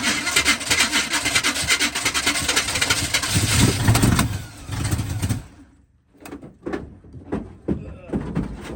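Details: 1980 Chevy K30 squarebody, TH350 automatic, about 15 degrees out, fuel hose not yet replaced, fuel rigged from a can instead of the gas tank: engine catches, runs rough for a few seconds, then dies to silence.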